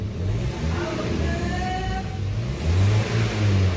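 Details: Twin Z petrol engine after overhaul for heavy oil burning (loose pistons, oil-fouled plugs), broken in: revs rise cleanly and settle, smooth even exhaust note with no knock or tick; healthy.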